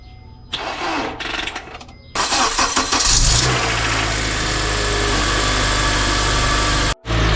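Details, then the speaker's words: Acura TSX start after accident rebuild, full stock exhaust with test pipe: starter labours in uneven dragging bursts for a couple of seconds before catching a steady idle; slow cranking blamed on weak battery. "Problem was the battery. I was actually surprised it helped crank up right away the first time around at least. This time around it struggled."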